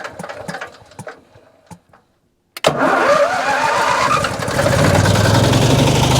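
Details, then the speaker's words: Non-running salvage RV generator, DTX P55 extended-performance carburetor: a few crank pulses, a pause, then catches with a rough rising roar, settles and cuts out unevenly; start then stall, cause not confirmed. "but here's your stop and you're like whoa okay it it tried to Let's okay"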